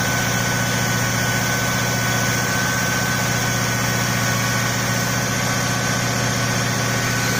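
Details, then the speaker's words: Cadillac Eldorado 507ci V8 on first start after a year in storage: a thin, steady whine over the low idle hum, from a power steering pump with completely empty fluid; later refilled. "I went ahead and um added some power steering fluid because it was completely empty and that was like the whining noise that you heard before"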